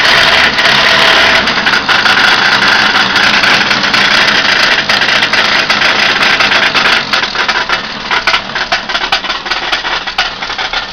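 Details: Newly fitted Ford Capri 2.0 Pinto petrol engine idling: loose uneven knocking rattle, about three knocks a second; owner unsure whether bottom-end failure or something knocking elsewhere.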